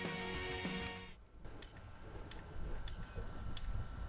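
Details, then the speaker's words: Bigger hard drive after falling down the stairs spinning fast, hitting a solid floor and a doorframe: after brief music, sharp dry clicks about every two-thirds of a second over near silence; heads failing from drop damage, drive dead. "Yes, I’m pretty sure that one is dead. So that’s the bigger drive that spun really fast down the stairs and then hit the solid floor, and then whacked into my doorframe."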